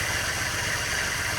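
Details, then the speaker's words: Ford BF XR6 with the Barra engine, started after resealing the leaking thermostat housing: an uneven, lumpy idle with a wavering beat. The MAP sensor and throttle body had been left unplugged, possibly causing the rough idle. "Oh, map sensor's not plugged in. The throttle body's not plugged in. Might help."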